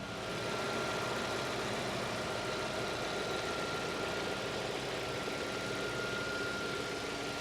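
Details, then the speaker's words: 2004 Audi RS6 Plus 480hp V8, Japan import, listened from various spots around the engine; steady even idle, faint accessory belt whine, no ancillary, valvetrain or bottom-end noise; sounds like new. "There's no unusual noises, no noises from the ancillaries, no excessive valve train noise, and no bottom end noises as well. It sounds like a new car."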